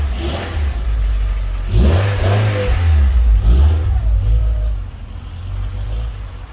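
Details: Rover 216GTi with an ongoing running fault, revved during troubleshooting: revs climb and drop through blips with uneven hesitant pickup, unchanged from before; rough running, cause unclear.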